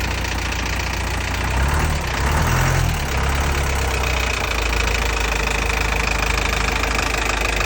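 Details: Freshly rebuilt engine after an engine overhaul at idle: steady low idle with an even pulse, no heavy knocking or rattle; running smoothly and normally.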